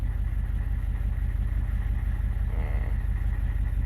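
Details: 1994 Chevy K2500 Suburban, 6.5L turbodiesel, warm, new Carter P4601HP lift pump holding about 13 psi: steady, even diesel idle with a deep low rumble and a regular firing beat, no misses or knocks; healthy idle.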